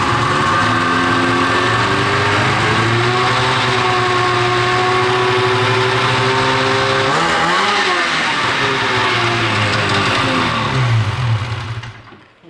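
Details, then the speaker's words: Snowmobile 13-year-old race sled, two-stroke: revs climb then the note sags and stumbles around eight seconds, a clear low-rpm bog; clutch deflection dropped a quarter inch, owner suspects sticking power valve or tuning rather than clutch; runs well when cold. "that was the clearest illustration of the bog that we could ever get right that was the bog dude"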